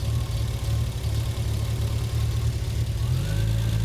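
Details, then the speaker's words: Triumph TR6 with Patton Machine TBI fuel injection during tune-up, while ignition timing is being set around 950–1100 rpm: a steady low idle hum climbs in speed with no throttle input, an erratic idle wandering on its own, cause not yet known. "like I'm not doing anything it is changing on its own"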